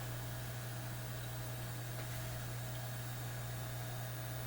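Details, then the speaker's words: Lambda power supply under a BK 8540 electronic load at high current: steady, angry 60 Hz transformer buzz that grows louder with current. Owner suspects rust has crept between the laminations so they no longer sit flush. "that's why what you're hearing is 60 Hertz buzz and the more current we put in the more we excite the Transformers and the louder they buzz"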